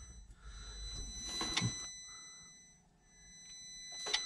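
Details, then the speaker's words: International MaxxForce intake throttle valve actuator during key-on engine-off self test: faint steady electric hum with sharp clicks and knocks as it strains against a stuck valve; SPN 3464 FMI 0 code 1288. "I just went to do a key on engine off test, and that thing tried to close, started humming"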